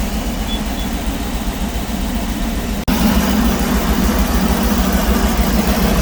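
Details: Ford Triton V10 in E-450 RV, first start-up after replacing coil packs and spark plugs and oil change: deep even idle, smooth steady rumble, no misses, ticks or knocks; healthy.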